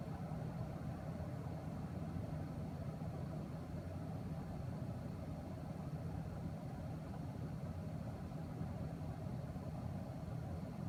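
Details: MSI GTX 1080 Gaming X graphics card in a desktop: steady low buzzing hum, unchanging, with faint higher tones above it.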